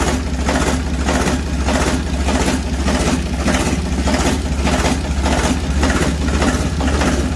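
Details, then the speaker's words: Ditch Witch 3700DD trencher, air-cooled diesel, previously very hard to start, fresh oil in, started at quarter throttle: started right up and settles into a steady low diesel clatter with an even pulse, no stumbling or misfire, a clean healthy idle. "So here we go. Quarter throttle. Come on, baby. Wow. Started right up."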